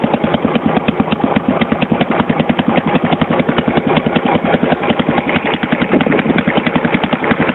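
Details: 1982 Yamaha SR 250 Special Edition single on choke, likely while carburetion was being adjusted: loud, rapid, raw blatty popping like a lawn mower, no muffling, from an exhaust line full of holes; exhaust leak.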